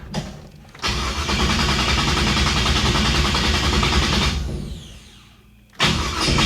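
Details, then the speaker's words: 1966 Chevy Impala warm (temperature 180) on test drive: two long bouts of even cranking, about three beats a second, never catches; no spark, owner suspects unsecured ignition feed wire kicked off the fuse block, gas in the bowls. "It's like we got no spark. I'll bet I know what it is. How much you want to bet? My wire under here. I didn't zip tie it. How much you want to bet? I just kicked it off of the fuse."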